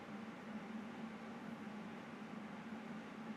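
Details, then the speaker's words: Computer with the fan set to full speed: steady airy rush and constant low hum, no rattle; the noise comes from the CPU fan, not the graphics card. "c'est le ventilateur du processeur c'est le a qui fait du bruit c'est pas graphique"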